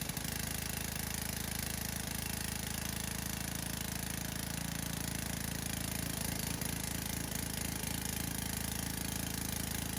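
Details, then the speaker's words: Pressure washer single-cylinder engine on fresh fuel: runs steady and even at constant speed, no misses or knocks, engine healthy; pump makes no pressure, probably cracked over winter. "Well, that thing fired right up. It runs awesome."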